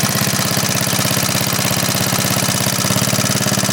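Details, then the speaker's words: 1939 Onan generator after carburetor cleaning, 300 W light (half its rating) plugged in: quick even put-put holds steady, governor reacts sensitively and comes right back without hunting; about 115 V output, carries load smoothly. "Come right back. That's pretty good. It's pretty sensitive."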